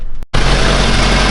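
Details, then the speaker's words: Mazda Miata with forged engine, restarted after a no-spark no-start; owner suspects the cam angle sensor or injector harness: after a brief cut, a loud steady engine note with no stumbling or misfire; normal idle. "oh wow that was frustrating so as you can hear thing is running again"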